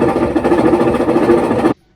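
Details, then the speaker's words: Jet ski first start attempt after battery install: steady fast buzzing crank under two seconds, no firing, then silence; water spills from the back; cranks but will not start. "guys that really sounds bad so much water is coming out of the back when i do that so i guess that's good huh i am confused"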